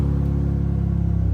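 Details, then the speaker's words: 2006 BMW 325i idling with the clutch in, while a crank sensor fault was still unresolved, with unmuffled straight-pipe exhaust: deep, loud, steady low drone with a fast pulsing beat; the exhaust is far too loud and a muffler is planned. "But we have to fix this horrible exhaust sound. Honestly, some people might say it sounds good, but it's way annoying."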